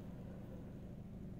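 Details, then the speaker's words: Skoda Octavia Mk2 1.4 petrol after timing belt failure repair, bent valves and head gasket replaced, warmed up: quiet, steady low hum at idle with the earlier hydraulic tappet noise gone, no ticking; normal idle after repair. "The voice from the hydraulic tappets is lost. The coolant is okay. Everything works fine."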